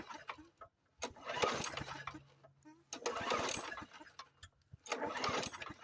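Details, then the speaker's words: Murray 450 Series push mower, just reassembled during restoration and primed about seven times: three pull-start cranks turn over with compression but never fire; owner suspects no fuel reaching the carburetor, possibly a diaphragm, seal or primer bulb fault. "Doesn't seem like it's getting gas to me."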